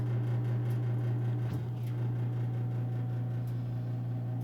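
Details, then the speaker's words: Old gas heater in a bedroom at night: low, steady hum holding one pitch, no knocking or rattle; constant hum, cause unclear. "this is the ambient noise this is the noise it makes and stop me your noise at all and if you can hear that little hum yeah oh this is three feet from my bed every night"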